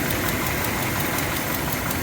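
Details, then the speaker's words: Mopar V8 at cold idle: a rapid, steady puffing chug under the engine noise from a minor exhaust manifold leak that has been present since the car was bought; a hose held to the manifold is used to pinpoint it. "you hear that there's a chugging noise tells me there's an exhaust leap it's pretty minor and it's been going on ever since we've had it"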